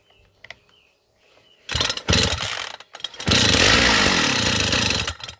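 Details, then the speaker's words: Chinese string trimmer, cold, with choke closed and idle screw raised: a few pulls, then it fires, roars about a second, dies, catches again and quits. "Вот видите, начала схватывать, но заглохло."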